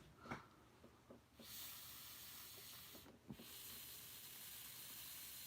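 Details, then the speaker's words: Used nitro RC truck fuel tank tested by blowing through the pickup line: steady airy hiss with each breath, massive air leak from a crack in the tank near the pickup. "you hear it it's a massive leak it appears to be coming from it appears to be coming from uh right here yeah this is the this is this is the Grand Canyon of leaks"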